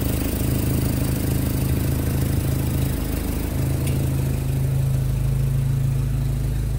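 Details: Carburetted Jeep after its fuel pump and carburettor were rebuilt, idling with a steady, even low rumble, no misses, knocks or hunting; settles and runs smoothly.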